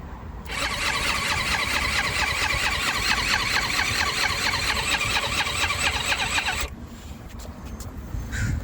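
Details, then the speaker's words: Eaton Beamer Matrix 2 with 60 psi compression, on electric start with choke on and starting fluid in the cylinder: fast whirring crank with a thin squeal that never fires. The battery is dying after many attempts, but the electric start works. "let's take the choke off and then hit it throttle on it sounds like the battery is dying okay so after starting it many times I just killed the battery so now we know that the electric start is working"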